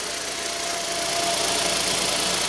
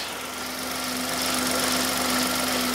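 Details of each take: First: 2015 Hyundai i10 1.0L after timing chain replacement, idling: smooth and even with a faint steady whine; the earlier shushing from the stretched chain is gone or much reduced. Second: 2015 Hyundai i10 1.0 petrol idling: steady hum with persistent airy 'shush shush' hiss, still present with auxiliary drive belt removed, not a rattle; suspected stretched original timing chain, replaced.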